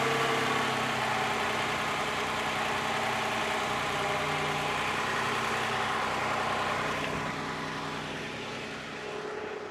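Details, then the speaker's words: 2015 Toyota Sienna AWD 3.5 at idle after replacing the bank 2 sensor 2 downstream O2 sensor, which had tight threads that were chased and is not yet connected. Leak check at the sensor bung: smooth, steady idle with no ticking or puffing, so no exhaust leak. "If there's no exhaust leaks, so we're all good."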